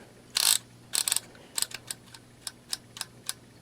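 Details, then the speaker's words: Vintage 1966 DYMO Mark VI embossing label maker: crisp ratchet clicks from each squeeze, one stroke sounding different and uneven as it slipped; owner unsure if not squeezed hard enough, it just failed on that press before working again. "Well, that sounded different. So maybe I wasn't squeezing hard enough? I don't know. No, it just sort of crapped out or something."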